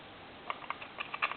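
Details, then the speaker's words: Goofy animated novelty telephone with board-level repairs: irregular little pops and a faint sizzle in quick clusters come over the line when the hook switch is worked. Hook switch static crackle; the hook switch cradle pole mechanism needs repair. "the hook switch here hear that static that's another thing that's going to have to be gone into I'm going to have to go into the uh pole that comes up for the hook switch cradle and these switches are pretty hard to get"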